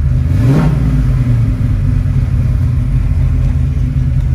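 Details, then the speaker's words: 1970 Ford Mustang Boss 302 V8, 4-speed manual, rotisserie-restored, started during walkaround: deep even V8 rumble with a quick clean rev then a steady strong run; runs and drives fantastic. "runs and drives fantastic really pretty blue"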